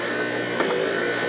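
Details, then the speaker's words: 1970 Cadillac Sedan DeVille wiper motor, reinstalled after moving the gear dog back to latch position, run with key on but not yet connected to wiper rod/arm: steady, even electric whir, constant buzzy pitch, no catches or grinding; normal wiper motor operation. "there you go, you can hear it, it's spinning, it's doing what it's supposed to do, but I don't have it hooked up to the wiper arm."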